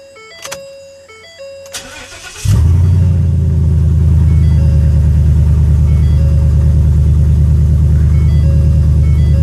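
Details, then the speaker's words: New Ford F-250 Super Duty 6.2 V8 with intermittent no-start and dead instrument cluster, after reconnecting the wiring harness above the parking brake assembly: dash chimes, starter catches at once, steady even idle; clean healthy start, tire pressure light on from different tires. "and as you can see the vehicle starts and my tire pressure warning light is on due to different tires"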